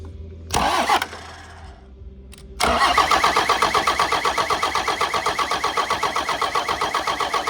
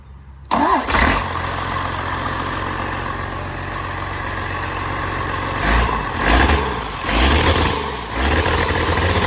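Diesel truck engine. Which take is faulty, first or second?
first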